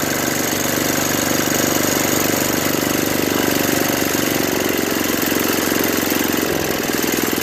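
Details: Brute 24-inch snow blower, 5 HP Tecumseh single-cylinder, after carburetor clean, new correct fuel line and fuel filter (was bogging under load, stalling), cold ~18°F: steady, even putter at constant speed, no surging or misses; normal running.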